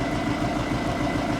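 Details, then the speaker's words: Skoda Superb diesel after a broken injector-bracket bolt was removed and re-threaded: lumpy, knocky, uneven idle with little exhaust and no fault codes, first thought a valve or timing problem. "that sounds quite it sounds a little bit mocky and i can hear some i don't know hear some sort of noise going on first of all i thought it's like sound like a bit of a vows problem timing problem"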